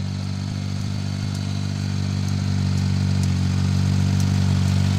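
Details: Suzuki mini pickup with hard starting, stalling and low power, after temporary repair for a gasoline leak: steady, even low idle with smooth hum and no misses; normal idle.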